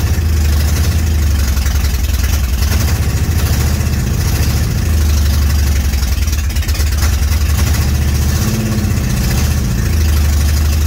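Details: 1965 Comet with a 5.0L V8 and T5 five-speed, first start on open headers after fixing a small fuel leak and checking timing: loud, deep, even idle burble with no misses or knocks; running properly.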